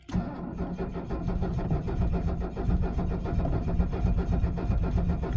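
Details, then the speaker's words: 1978 Mercedes 300SD diesel, 47 years old, cold start at 22 degrees without ether. Slow labored cranking of about 1.5 compression beats per second that never catches as the batteries drain. Cranks but won't start. "we're draining the batteries I'm sure you can hear that cold is not kind to these things and yeah each cycle still takes just as long"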